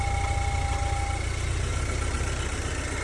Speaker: Sounds really good. That engine on this one sounds really quiet. Sounds like it's running well. Did take a jump to get it done, get it to start.